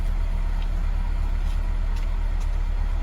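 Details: 2002 Acura RSX Type S (K20) after replacing the defective IACV, warming up but not fully warm: steady even idle coming down from the former stuck 1500 rpm, with no hunting or surging.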